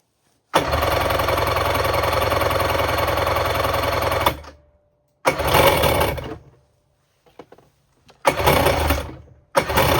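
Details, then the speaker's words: 1994 Kawasaki 550SX stand-up jet ski, said to be freshly rebuilt, on premix with oil put down the cylinders: harsh rattle running in rough bursts, cutting out, belching smoke; owner suspects a popped, leaking water box. "She's running, but she's running real weird. Based on that clip you guys saw, this thing was belching a lot of smoke, which he says it was just rebuilt and I did put a bunch of oil down the cylinders,"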